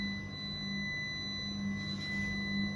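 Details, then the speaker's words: Dell Aurora R13 desktop PC: steady, high, thin whine at constant pitch with no rhythm; source unidentified, seemingly quieter near the graphics card and possibly near the top. "I could not really identify the location you know because the world is small area but definitely feel a lot quiet when it comes to the graphic card"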